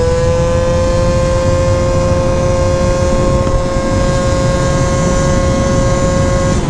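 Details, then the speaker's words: Honda Elite AF16 72cc scooter with SmartCarb carburetor, riding at full throttle; steady high-pitched drone, clean with no stutter or bog, consistent pull; normal healthy running. "the motor just sounds happier"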